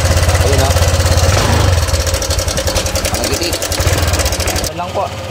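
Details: Honda Click 125 scooter after replacing the timing chain tensioner and adjusting it at top dead center: steady, even idle with a soft regular pulse, top-end clacking gone; runs quietly and normally.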